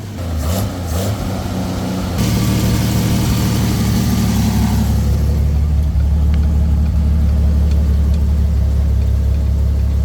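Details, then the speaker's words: Swapped engine in a Dodge Power Wagon parked 23 years, no exhaust fitted, janky wiring: loud, deep, uneven rumble with irregular firing beat, rough running possibly from miswired ignition. "Sounds mediocre, but something that probably has to do with the miswiring of this sucker too."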